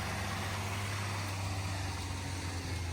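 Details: 1992 Citroen XM V6 barn find, off the road for years, coolant and oil full: deep, smooth, steady idle with even low hum, no misfire, tapping or hunting, suspension pump clicking; normal idle.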